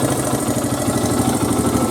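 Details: 2002 Honda XR100R single after a riding season, idling while warming up after cam timing chain tensioner adjustment: quick even pulses, no top-end ticking; chain properly tensioned, healthy.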